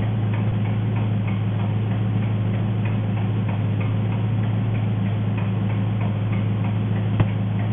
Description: Enormes nageln, oder?